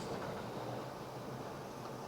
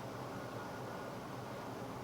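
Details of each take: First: Engine with Autolite 4100 carburetor, vacuum line fully removed: loud airy hiss over an uneven, stumbling, awful-running idle that may stall, demonstrating a large vacuum leak; runs normally once plugged back in. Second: V8 with Autolite 4100 carburetor, before a spark plug wire cylinder-isolation test: low, even idle rumble with a smooth steady beat and no misses, running on all eight cylinders; normal idle.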